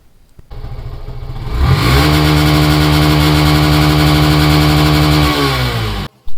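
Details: 2016 Yamaha FZ/Fazer V2 FI motorcycle, 54,000 km, engine never opened and clutch plates never changed, revved from idle to full throttle cutoff for a vibration test. Smooth, even climb, held high rev, no knocks or rattles; healthy engine.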